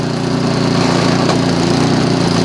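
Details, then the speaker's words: Craftsman 24-inch MTD snow blower, about 2010, after carburetor cleaning, float cleaned, screws tightened to fix gas leak and no-start: still on choke, steady even low putter, no misses or surging, auger not engaged; running much better. "It's still running on choke. It's running much better."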